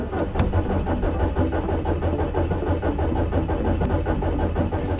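Starter churns in a steady rhythm for five seconds with no catch or firing; the engine just keeps turning over without starting. Cause suspected, not confirmed.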